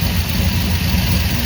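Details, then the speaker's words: Idling and light revving after fitting a new mechanical fuel pump (old one wouldn't pass 3 psi, now 6–7), metal line, fuel filter under frame, float level adjusted; steady deep idle, even rumble, no misses or ticking; runs better now. "Just by idling and revving a little bit, what do you think she runs better now?"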